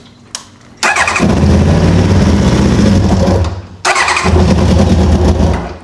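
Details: Track bike that had run on three then two cylinders, battery running low: two three-second bursts of starter churning, never catches; no start.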